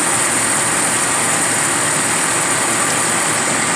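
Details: 2009 GMC Sierra with engine idling during AC recharge; steady hiss and airy rush, compressor staying on without clicking off. Normal AC compressor operation.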